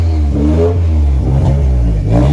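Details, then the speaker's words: 1987 Ford Sierra Cosworth four-cylinder after 3 years stored, once cylinder 4 kicked in: revs rise and fall smoothly and evenly with no stumble, all cylinders firing; slight smoke, thought to be oil from a leak burning off the block. "So, she's now running as she's supposed to be."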